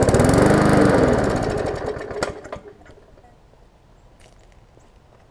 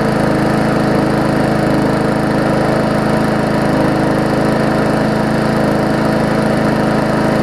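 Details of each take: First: Murray 3.5hp Classic push mower, bail switch zip-tied on for testing, fires and runs roughly on carb spray, then fades and dies within three seconds; carburetor isn't feeding fuel, fuel starvation, needs extensive service. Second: Murray 3.5hp Classic push mower after extensive service, first test run after priming: steady, even single-cylinder beat at constant speed, no misses or surging; smoke clearing, only a little oil in the muffler; running smoothly.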